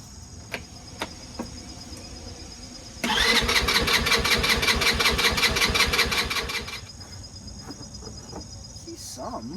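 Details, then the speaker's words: Vehicle about to be put away for winter: about three seconds of rapid starter whirring, the engine turns but never catches; cranks but won't start, cause unknown. "so I was just going to take the battery out of here for the winter thought I'd start her up and take her around the block for a spin won't start"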